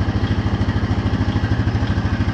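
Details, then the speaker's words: 2014 Honda Foreman 4x4 TRX 500 FM1 ATV, 444 miles, after start with fuel refilling the drained line: steady, even low thumping, about nine beats a second, no misses or knocks; normal healthy single-cylinder idle. "Takes a minute to get the fuel up there to the line because the drain's all out. And once she gets running, that's it."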